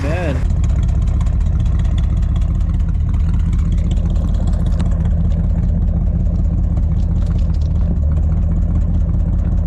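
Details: 1959 Edsel Ranger after installing a used driver-side exhaust manifold: deep, low, steady rumbling idle after the start, with no exhaust ticking or puffing; normal idle.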